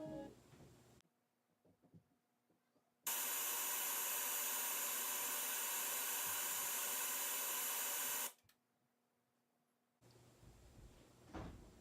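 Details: Samsung 46" LN46A580P6FXZA TV with HDMI device connected blasts loud, harsh screeching from its speakers, cutting off as it power-cycles; cause is faulty main control board components.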